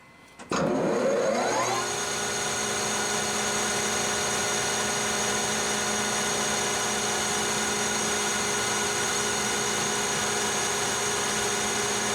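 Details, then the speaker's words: Lathe turning heat-treated CrMo 4140 steel at the highest speed used, after 440 RPM gave a rough finish: steady, even spindle hum with a clean high ring and no chatter or squeal. Chips and finish much improved, like cutting aluminum; normal cutting. "you can see immediately the Improvement in chips and the Improvement in finish it looks like we're cutting aluminum"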